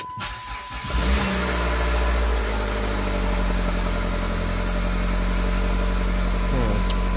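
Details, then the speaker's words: PT GT turbo engine, run briefly without coolant after a pin sheared off the cam: catches and settles into steady idle with constant airy hiss over the rumble, like a big vacuum leak or turbo blowing air out. "like a big vacuum leak that would be the turbo blowing a ton of air out neat god this thing's loud"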